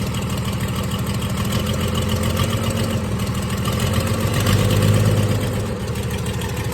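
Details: 1996 Dodge 2500 diesel, cold, no exhaust fitted, after stock HX35 turbo replacement and transmission swap, still burning off oil: uneven, shaky idle with a light tick around three per second; owner says it always ticked when cold; rough cold idle, cause unknown.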